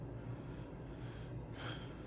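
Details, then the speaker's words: Mr. Heater Big Maxx 80,000 BTU garage unit heater converted to propane: rear fan running with a steady low hum and soft airflow rush, no rattles; normal, about like a home furnace, maybe slightly louder. "this is the fan on the back of it too you can see and you can hear it I mean it's not you know ridiculously you know it you're going to hear it run it's not super like silent or anything but it's almost like your furnace at home maybe a hair louder"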